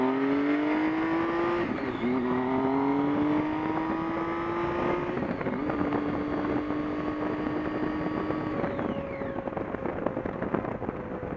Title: Buzzing noises while in neutral